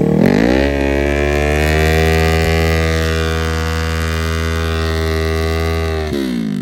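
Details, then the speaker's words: Kawasaki Z125 with a 650 engine swap at Shadyside test and tune: held at high revs with the pitch stuck, not pulling through the top end; owner suspects a valve acting up again or the fuel pump. "It sounds like the thing, it sounds like in the high RPM like it's not pulling through."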